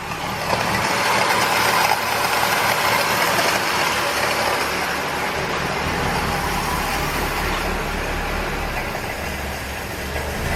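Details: 1968 BMW 1602 first start after 10+ years sitting, radiator dripping: ragged, uneven idle with a hissy, unsteady note; running but rough.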